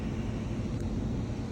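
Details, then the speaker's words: Rheem blower after installing an aquastat that closes on temperature rise at 120 degrees: steady, even low hum of the fan with no knocks or scraping; the unit is running normally. "The unit itself is running. You hear that little hum of the fan?"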